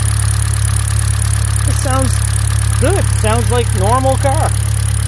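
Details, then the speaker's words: Hyundai Elantra GT idling, low steady hum with no misses, stumbles or knock; running smoothly around a spark plug and ignition coil replacement. "Out of this dumb cold air, but it actually does sound pretty good when she's jamming on this thing."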